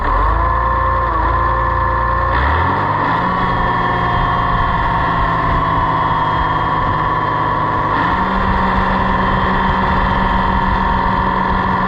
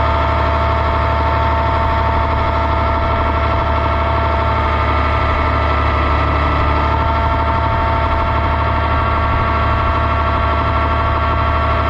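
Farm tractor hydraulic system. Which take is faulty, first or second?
first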